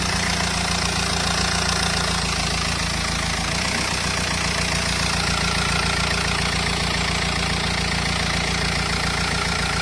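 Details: Renault Espace 2.0 dCi diesel at steady idle: fast, uneven tapping over the diesel clatter, abnormal engine noise, cause unclear.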